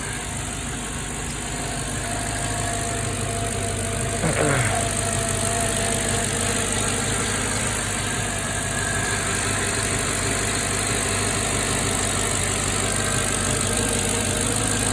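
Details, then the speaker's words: Mercedes AMG engine idling smoothly and evenly with no knock or stumble after installing the forgotten secondary air injection plates; sounds healthy, though a slight air leak was later suspected. "all right you guys that sounds much better well if you guys are curious what your motor sounds like on the inside while it's running that's what it sounds like yeah she sounds good now though"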